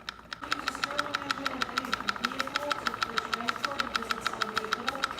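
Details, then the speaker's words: Two-cylinder alcohol-fired Stirling engine, freshly cleaned and oiled with watch oil after heavy resistance, warming up: crisp, even ticking about three beats a second over a faint steady tone, never faltering; slow to speed up but running smoothly, normal running. "the reaction time when you give it fuel to when it speeds up is very slow it's not done yet it's not done yet look it's still going it's still going good"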